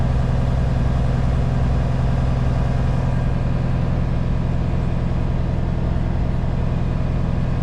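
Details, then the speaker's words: Kenworth K220 truck idling on flat ground with a loaded trailer, landing legs wound down and brakes set: a steady low diesel idle with an even hiss of air filling the trailer's flat airbags, no leaks or knocks, a normal fill. "So you can hear the trailer pulling up with air. I know it's flat here, so it's not going to roll away, but you can hear the airbags filling up."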